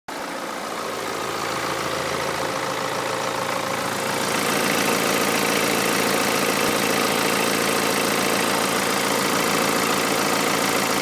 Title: BMW 320d M Sport (E92) (2011) Timing chain rattle AFTER FIX